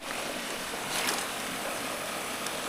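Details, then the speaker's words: Gravity siphon gold dredge suction hose broken and drawing in air, which stops the suction; steady airy hiss with no rhythm over outdoor noise, leak heard but not yet located. "Let me see if it's taking in air. If it takes in air, then it stops the lead."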